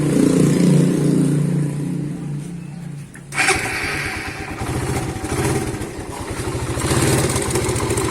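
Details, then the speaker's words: Suzuki Satria FU 150 motorcycle with rough noise (suspected cam chain or piston): engine catches into a fast, rough idle with a loose metallic rattle over the beat; cause found to be a worn cam chain, which was replaced. "Ternyata ini suara kasar ini kerusakan pada rantai keteng atau rantai kamrat."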